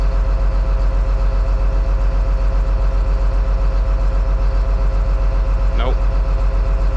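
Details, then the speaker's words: John Deere 724J loader common-rail diesel idling during a cutout test: lumpy, uneven thump about 150 beats a minute; cutting cylinder two changes nothing, so that cylinder is dead, injector or wiring suspected. "Oh, you know what? I'm not even hearing cylinder two make a difference."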